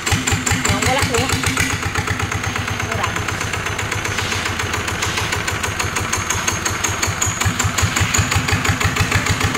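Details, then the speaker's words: NF19 single-cylinder diesel, original: slow even thump, steady firing with no knocks, misses or shaking; runs without vibration, healthy and strong. "anh em thấy đặc biệt của dòng cá này anh em nó gì chưa là nó không có rung nó"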